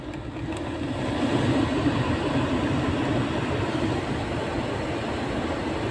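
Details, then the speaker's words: Renault Megane 2 idling after blend flap motor repair (broken gear replaced): blower running, no ticking from behind dash, earlier tak-tak on start/stop gone; normal AC flap actuator operation. "tak tak ses gitti arabada şu anda o klimadan dolayı gelen tak tak ses yok"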